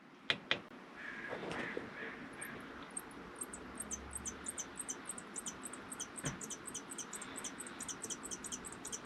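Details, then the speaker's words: MaxxAir MaxxFan / Fantastic Fan roof vent on a 2019 R-pod 180 RV: rapid high-pitched chirping squeaks, about three a second, repeating with fan rotation over soft airflow hiss; squeaking fan motor bearings, fix attempted instead of replacing motor. "yeah no that will not do so my journey when I get home is going to be trying to figure out how to get rid of that squeak"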